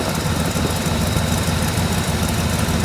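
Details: 1979 Mercedes-Benz 450 SLC at a pre-purchase inspection, showing signs of poor maintenance: uneven, lumpy idle with irregular stumbles and sputters over a low rumble; rough idle, cause not pinned down.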